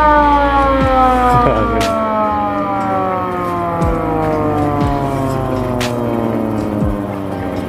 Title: 😱SUARA SIRENE VW KOMBI AMBULANCE | VW BAYWINDOW